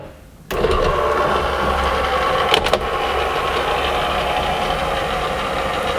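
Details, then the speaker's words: 1982 Renault Fuego fabric/vinyl power sunroof closing after long storage: a thump then smooth, steady motor whir with no binding or grinding; roof operating normally. "it's a good thing this top is working cuz I couldn't imagine how expensive would be to repair if it weren't"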